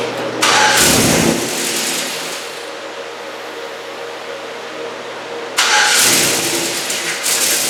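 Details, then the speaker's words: Turbocharged 1961 Chevy Apache pickup with LQ4 engine, first start attempt: two bursts of starter cranking, engine briefly catches then dies; keeps stalling, suspected to be a faulty throttle actuator controller, later replaced with a junkyard unit. "All right, day 5, still at it. Pretty sure I had a faulty throttle actuator controller. Found one at the junkyard, so I put that in and it's a lot better."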